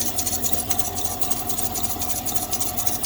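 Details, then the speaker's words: Vehicle idling before belt dressing is sprayed on: a steady mid-pitched drive belt squeak with quick high chirps about four times a second over the engine. "so what I did was I started the vehicle up and you can hear the you can hear the belt squeaking"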